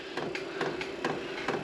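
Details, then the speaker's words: maXpeedingrods 12V 8kW Chinese diesel heater, first start after garage install: sharp dry ticks about three a second over a faint hum; dosing pump priming diesel through the line, no heat or ignition yet. "well it's making the dreaded ticking noise no heat just yet after all the Diesel's got a prime"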